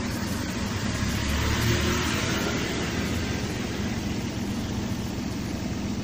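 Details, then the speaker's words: Toyota Avanza/Daihatsu Xenia, during an idle speed control (ISC) check for high, fluctuating idle with check engine light and code P0505. The warm engine holds a low, even idle of about 900 rpm, below 1000, with no hunting. Normal idle. "RPM sudah menunjukkan di bawah angka 1000, kurang lebih 900. Oke, mantap."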